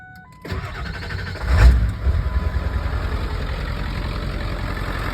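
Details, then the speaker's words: Low-mileage Ford 7.3 Power Stroke diesel pickup with new alternator and batteries, started after glow-plug wait: short crank, fires right up into a steady, even idle clatter with no major shakes; healthy start. "As you can hear, it starts right up. Doesn't have any major shakes."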